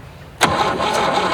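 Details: 1967 GMC C20 with a 305 big block V6, stuck and sitting at least 7 years, fuel poured down the intake: starter spins the engine steadily but it never fires. Cranks without starting; spark seems absent, arcing at the coil wire, cause not confirmed.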